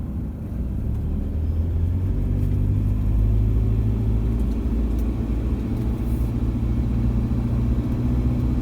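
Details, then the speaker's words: Same diesel warmed up near full temperature, while driving: a steady low rumble with soft, even clatter and no harsh knock. Normal warm rattle, though the cold-start combustion rattle still suggests a fault, possibly the injectors. "do you notice the difference it's just your normal diesel rattle now"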